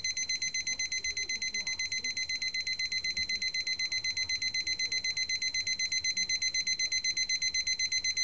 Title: 目覚まし時計 CASIO TQ-156 3段階アラーム音